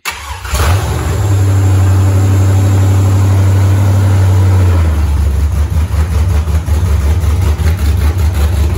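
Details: Freshly rebuilt 5.3 LS V8 on first start with open headers, after clocking TPS for aftermarket 90mm throttle body: starts crisply, snappy revs, strong even idle settling lower with slightly choppy beat; small stumble on return, owner expects IAC tuning fixes it.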